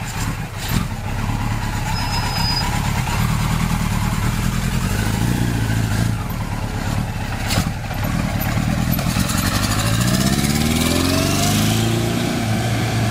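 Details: 1976 Kawasaki KZ four-cylinder motorcycle on test run after carb air screw tweaks: revs unevenly with brief stumbles and dropouts as it climbs; misfiring under load, cause suspected not confirmed.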